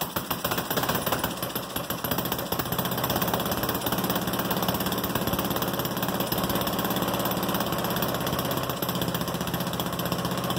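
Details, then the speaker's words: Goofy Cart 2 small single-cylinder engine, first start in about 20 months after rebuild, cold shop, open exhaust with no gasket at the head yet, gravity-fed from tank without fuel pump: steady chugging fast idle with open-exhaust rasp; running fine. "ya gotta love first start ya gotta love it now I got to finish my exhaust system since it's only just dumping right out right there"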